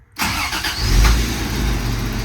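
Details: 1991 Toyota 4Runner first start after new spark plugs: quick crank, catches at once, revs briefly then settles into smooth, even idle with no misses or rattles.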